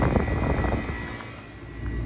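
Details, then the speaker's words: Walk-in freezer with temperature swings: unit restarted after clearing a flashing sight glass, which fixed suction pressure. Steady low drone with a faint thin whine and no fan whoosh; condenser fan motor not spinning. Unsure whether it previously ran backward. "So I just restarted the unit and that fan is not running. Was it running backward before and I didn't realize?"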